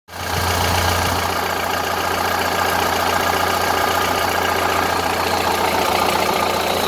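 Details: 1931 Ford Model A pickup four-cylinder at slow idle with a dull, regular knock tapping steadily inside the engine; troubleshooting just begun; engine knock at idle, cause unknown.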